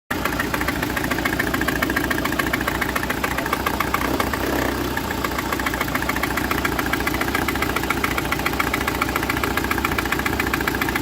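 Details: Citroën C4 1.6i idle: uneven, lumpy, with a regular stumble three to four times a second; a failed ignition coil leaves it running on only three cylinders, code P1339; fix is replacing the coil.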